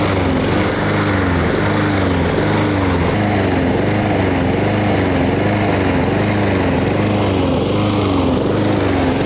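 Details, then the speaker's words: Honda-engined lawn mower running outside: note rises and falls nonstop, surging up and down; caused by lack of fuel from a carburetor issue, fixed later. "so you just heard that annoying sound of the engine revving up and down what's causing that is a lack of fuel to the engine so it's a carburetor issue"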